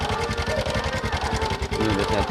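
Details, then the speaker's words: Honda Supra X 125 with rough noise from the front of the engine: fast, light metallic rattle steady over idle and blipped throttle, persisting after adjusting the tensioner; cam chain found slack, needing replacement. "Gas aja. Wah. Ini kayak suara kamrat teman-teman ya."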